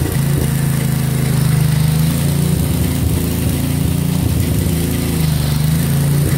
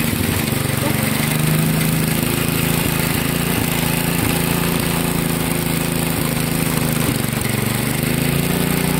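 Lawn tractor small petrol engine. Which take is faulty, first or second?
first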